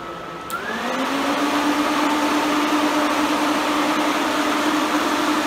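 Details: Twin electric cooling fans on dual relay wiring stepping from low/half speed (180 degrees) to full speed at 200 degrees: rush jumps in pitch and volume within a second, then holds a smooth, even hum.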